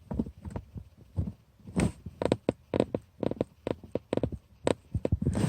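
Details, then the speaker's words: Lada Vesta, cold-only dash rattle: plastic air duct tunnel under right of console/glovebox rubbing factory insulation, pushed by hand gives irregular short creaks and scratchy squeaks; fix is Madeleine tape or silicone grease. "сверчок у нас вывелся самом низу он там нижняя грань пластмассовая прилегает такая звука теплоизоляция автомобиль"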